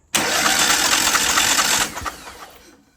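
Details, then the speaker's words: Craftsman DYT 4000 riding mower twin-cylinder engine with coil regapped and kill wire off; catches with a harsh, uneven, lumpy beat for under two seconds then dies, one cylinder not firing. Owner suspects a bad coil. "So it's looking more and more like we got a bad coil. Just wound that gap in a little bit more. Yep, I'm calling it, guys. We got a bad coil."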